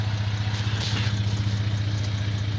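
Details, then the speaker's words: 2008 Jeep Grand Cherokee Laredo V6, new alternator, starter suspected after dead-click no-start: steady, even low idle with smooth pulse, no clicks or misses after battery reconnected; engine started right up and runs healthy. "I just connected it back and it started right up"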